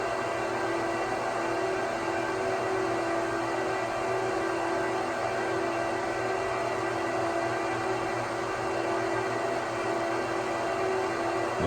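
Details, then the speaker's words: 2009 Apple Xserve, 2x Xeon E5520 2.26GHz quad-core, near idle drawing about 155 watts: constant airy whir with a faint steady tone, fans purring normally at idle, noisier under load. "purring sound level that's what you're going to be dealing with 24/7 if you run this thing on idle so it will get noisier as you have more load"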